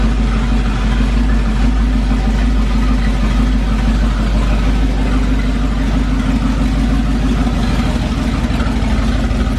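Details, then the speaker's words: 440 big block V8 pulled from a motorhome for a 1970 Plymouth Duster, sat roughly six months to a year: it fired first try. A loud, deep, steady burble with no knocks or misses and good oil pressure; a healthy idle. "running really really good Idols that fired up first try it's been sitting for probably almost a year"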